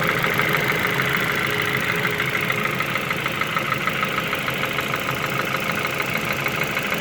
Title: Форд Фокус 2 стук двигуна